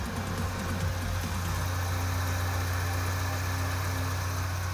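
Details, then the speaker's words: 1984 Toyota Hilux 4x4 with old carburettor, after new spark plugs and fuel filter, idles steadily and evenly with no stumbles while warming up; it previously idled poorly, shut down and backfired. Normal idle. "now that sounds like it's idling really well and for an old Carby"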